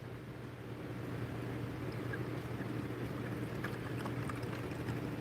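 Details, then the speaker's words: BMW N54 335i with a newly replaced electric water pump and thermostat, during the 12-minute coolant bleed: a steady low pump hum with light watery gurgling and trickle; the pump is running normally. "I can hear water moving. Yeah, I heard water. So, now we got to wait 12 minutes. Oh, yeah. She's pumping."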